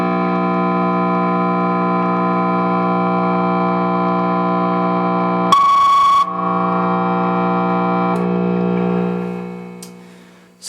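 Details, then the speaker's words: Guitar rig with ISP Decimator G-String in the amp effects loop, pedal on battery power: steady mains-type buzz with a deep low note and stacked harmonics; suspected ground loop through the non-isolated effects loop. "power has um been separated back onto uh battery power and so I'm going to turn on the system and I anticipate that I'm going to hear a 60 HZ hum again"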